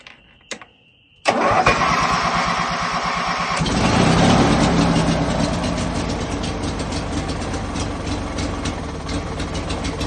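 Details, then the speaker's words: Ranch King riding mower, twin, after oil change and new spark plugs: starter catches after a second of cranking, then an uneven, lumpy idle with wavering beat; runs rough, cause unknown, owner suspects the new plugs. "But it does start runs rough. I don't know why. Maybe I should put the old spark plugs back in."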